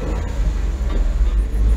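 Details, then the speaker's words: Engine with hydraulic lifters, after a loose plate was wired up: deep even rumble with no tinny buzz, and the rattle heard when backing off the throttle is gone; the engine is healthy, not a valve problem. "can't hear that plate rattling now so yeah it was just that cuz under when I back off the uh back off the throttle give a bit of bit of it was just that that's all it was"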